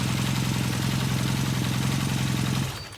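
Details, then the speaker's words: 1978 Kawasaki KZ400 twin with new exhaust and carburetors installed: steady even low burble at about four pulses a second, no misses or clatter, then clean shutdown; owner says it runs very nicely, healthy idle. "The bike runs very nicely. Um uh I bet you it fires right off like butter. Look at that. I mean like butter."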